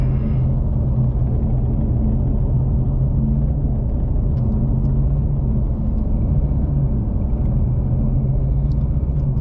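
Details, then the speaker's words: Ford Mustang GT350R on test tune, wrench light on: heavy lumpy uneven rumble, running on like 3 cylinders; codes pointed to throttle body, owner suspected crank sensor; tuner says it was fail-safe mode, cleared and then fine. "I really thought we just blew it up. It was running on like 3 cylinders."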